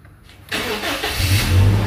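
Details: Toyota Kijang Innova during an engine condition check: a short crank, then the engine catches and settles into a steady, even rumble with no misses or knocks; a healthy start.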